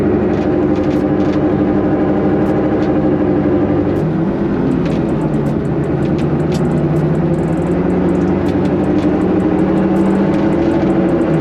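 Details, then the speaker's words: Honda S2000 driving at steady speed before replacing axles, hubs and wheel bearings: constant low airplane-like drone under road noise, loud enough to drown out the radio; worn wheel bearings suspected, hubs look fine but may be worn out. "it should sound like an airplane like we're on the runway about to take off this is driving me crazy all right even when I have the radio like pretty loud I could it's still so loud like the radio does not block it out at all"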